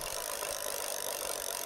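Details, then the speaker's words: Himiway Escape e-bike in seventh gear, pedals turned: light ticking scrape with pedal rotation over a quiet drivetrain whir as the chain touches the frame; caused by a loose right crank and slightly bent frame. "seventh gear the chain actually hits the post here i wonder what's causing that it's hitting the chains actually touching this structure on the back of the bike"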